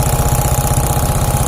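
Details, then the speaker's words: Suzuki Shogun 125, engine warm after 5–10 minutes (smooth when cold): hard, evenly spaced knock every revolution at idle, still present after valve clearance and cam chain tensioner adjustment; cause not yet found, top end to be dismantled. "Hai mungkin teman-teman dengan reaksi ini ketika waktu mesin panas bunyinya ngecek kretek-kretek kayak gitu ya ini sudah kita setel klep rantai keteng tonjok hanya sudah kita tekan tetapi masih saja bunyi"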